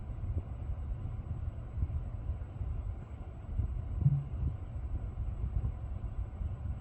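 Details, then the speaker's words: Lucid car driving after a reset cleared a buzzing noise that profile switching had not fixed: just a low, even road rumble with no buzz or whine on top. Cause of the original buzz is unknown; normal driving. "Yep, the noise went away. I have no idea why it came."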